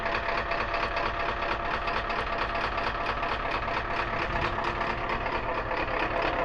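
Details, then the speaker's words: 1993 Ford F250 diesel idling after starting system repair, with the solenoid and starter reconnected and glow plugs cycled; steady, loud diesel clatter at an even idle with no misses or hunting, a normal idle. "Next step, test run. All right, I am the glow plug controller. 10003456789, 2010, 2011 201, 2012, 2013. That's how it's supposed to be."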